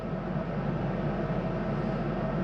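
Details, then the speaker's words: 2022 Highland Ridge Mesa Ridge 354MBH RV furnace, heard from the hallway. After the heat cycle the blower keeps running for a few minutes before shutting off. Steady, even airy hum with no rattles or pulsing; normal run-on. "the heat on, you will notice that when the heat comes on, it takes a few minutes for the fan to cycle through before it shuts off. That's high enough. You hear that as I come down the hallway, continuing to run for a few minutes."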